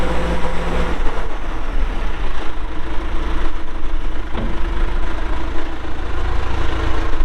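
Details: 1997 John Deere 310E 4WD backhoe, 2,280 hours, diesel, engine cover shut: deep, even diesel rumble holding steady without misses, knocks or surging; normal healthy idle.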